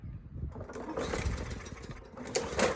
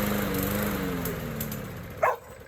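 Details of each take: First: Lawn mower that kept dying, after carburetor cleaning and reassembly and refilled with gas: pull-start fires after a few seconds and settles into a steady single-cylinder drone under background music; running properly. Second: Gas lawn mower engine, small single-cylinder: starts, chugs briefly, beat slows and sags, then dies; likely fuel starved, carburetor to be cleaned.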